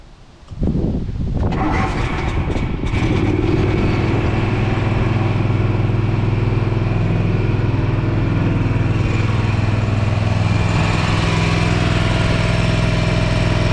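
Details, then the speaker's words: Gravely ZT60 HD zero-turn mower fitted with a used Kawasaki 26 hp engine, first start: brief crank then strong, steady low drone with no misses or knocks; smoked from trapped exhaust oil then ran well; normal idle. "I let it run for about 10 minutes and it burned all that oil out of the exhaust and it quit smoking it was running pretty good"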